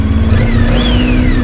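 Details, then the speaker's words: Honda ST1300 motorcycle riding home on the highway, helmet opened to hear: smooth, even engine hum over wind rush with no knocks or misses; sounds happy though it seems not run in a long time, smelling of burning off. "sounds really happy sounds like it hasn't run in a long time though"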